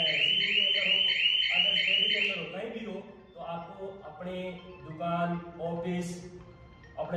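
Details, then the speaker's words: Vinayak shop-shutter security system: when the shutter is lifted after activation, loud shrill beeping near three kilohertz, then a warbling siren sweeping up and down, intrusion alarm tripped, with a theft-warning call sent to the owner's mobile. "ऐसी beep की आवाज आएगी और ये siren बजेगा और इसमें mobile में घंटी भी आएगी, रिंग आएगी कि सावधान चोरी हो रही है।"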